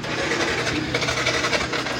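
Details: Yamaha NMAX scooter that gets hard to start after exposure to water: harsh, uneven, gritty idle, the engine runs very rough. Cause suspected, not confirmed.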